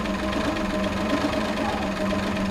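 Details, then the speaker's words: 1979 Chevrolet Caravan SS six-cylinder, first start after rebuild with new timing gears and piston rings: smooth, even, very quiet running with a steady hum and no knocks or ticks. Normal idle. "a cara de alegria do menino lá Que loucura cara muito silencioso"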